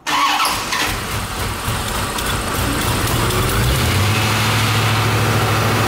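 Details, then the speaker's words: C4 Corvette Chevy V8 start after headers installed and exhaust reconnected, fuel leaks checked: quick crank and catch, deep steady burble settling evenly, no ticks or misfires; sounds much better than open headers. "sounds good sounds a lot better than having a eat the head or wide open"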